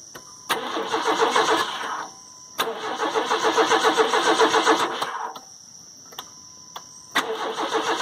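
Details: Crank, no-start after a new battery was fitted: three even cranking bursts, and the engine never catches. The owner hears no fuel pump kick in and suspects a dead pump on the CPI (non-carb) engine; not confirmed.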